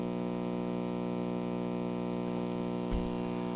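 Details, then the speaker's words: 1956–57 GE model 875 All-American Five tube radio powered up on a variac at mid-80s volts: steady low 60 Hz line hum from speaker, no station yet; audio output transformer OK, hum blamed on filter capacitor. "nothing yet but it's a good it's a good sign we're getting hum from the uh from the speaker so that means the audio output transformer is okay"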